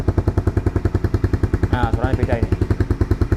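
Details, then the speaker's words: 2010 Honda CBR150R first gen, idling with rusted-through muffler hole held covered: even idle pulses about three and a half per second, deeper and steady; exhaust sounds tight with the leak blocked, noisy when uncovered. "jadi kalau kita tambal harusnya suaranya beda"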